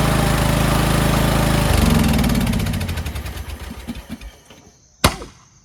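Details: Toro Wheel Horse 1438HXL lawn tractor repowered with a rebuilt 17.5 hp engine, after mower deck belt and pulley replacement: engine runs steadily a couple of seconds, then shuts off and coasts down smoothly to a clunk; no abnormal noise, everything works.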